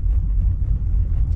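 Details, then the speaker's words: Cammed SS Commodore LS1 V8 after a full rebuild, untuned, idling warm: low, loping, choppy idle at around 650–700 rpm, too low for the big cam; it drops and nearly stalls when the throttle is released. "Okay, it is going to idle, and it's probably sitting at around about 650, 700 maximum, and it's idling too low."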